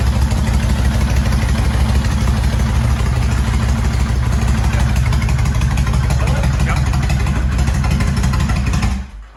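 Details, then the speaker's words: 2000 Kawasaki Vulcan 1500 V-twin, 42,000 km, just after cam chain tensioner modification on both sides: steady, even idle with deep regular low thump, no grinding, pinging or chain slap; normal idle. "So the cam chain tensioner mod works extremely well. We don't hear any grinding or pinging or chain slapping."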